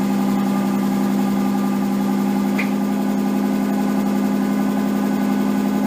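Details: Nissan 240SX S13 with swapped RB20DET, first start after a crank angle sensor repair: smooth even idle sitting noticeably fast and never dropping; idle way too high, owner suspects slight oil burning, idle and AFR still to be set.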